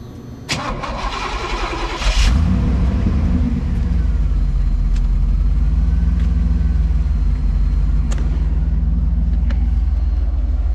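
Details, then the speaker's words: All-original 75,000-mile 1983 Pontiac Trans Am with Crossfire (early) fuel injection V8: starter churns nearly two seconds before catching into smooth even idle; this crank time is normal hot or cold. "So it takes her a little bit to fire up, but it's very, very early fuel injection. So, and whether it's hot or cold, that's usually about how long it takes to fire it up."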